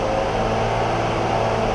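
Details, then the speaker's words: 2003 BMW X5 3.0 M54 held at 2000 rpm after a second DISA valve rebuild: a steady, even hum with no rattle across the RPM range. The rattle at 2000 rpm that showed before is gone; normal running. "well I don't hear any rattling throughout the RPM range there and that's one less code that's going to show up the next time I scan my car"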